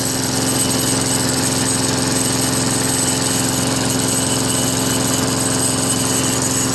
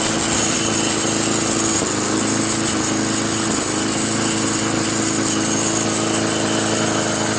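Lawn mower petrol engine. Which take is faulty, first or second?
second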